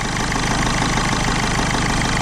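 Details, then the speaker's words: 2007 Ford Fiesta 1.4 TDCi diesel after the injector fault was fixed, with the airbox off and the MAF sensor unplugged. Steady, even diesel idle with no stumbles, "steady as a rock", where before it vibrated from misfiring. "before the engine was vibrating around as it was misfiring but that's steady as a rock now"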